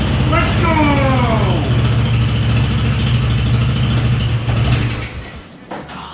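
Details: Yerf-Dog Spiderbox go-kart with new GY6 150cc carburetor, new fuel filter and fresh gas after rebuild: small single thumps at steady, even idle for several seconds, then shut down, no misses or stumbling.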